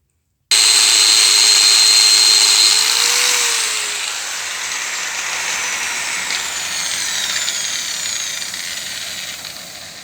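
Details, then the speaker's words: Yamaha T-Max 500 second generation, front wheel spun by a grinder, whine above 40 km/h: bearings checked, no play, greased; coasts down with only soft even hiss, no whine from bearings; speedometer drive sensor suspected. "снял колесо посмотрел подшипники вроде все в порядке они не люфтят смазаны крутятся без Шумов"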